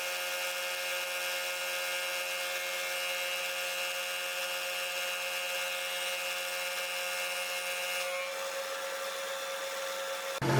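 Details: Powered lathe slotter machining slides, small cut: steady high gear whine with a dense metallic edge from the table drive through the back gears; typical, ordinary noise.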